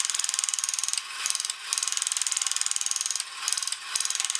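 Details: Kamco Saturn/Iron Man toy robot from the early 1980s, run after bending and scraping a corroded battery contact: fast, even ticking of small gears with short pauses as it stops and restarts; mechanism runs freely and healthy.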